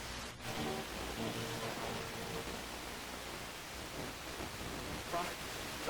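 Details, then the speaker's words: Nordmende 3004C radio, FM band reception test on original FM antenna: constant rushing hiss with faint station beneath; weak FM reception and band shifted, local oscillator problem confirmed. "well, not too good. I'd say weak is what I think. I think I'm confirming the diagnosis here."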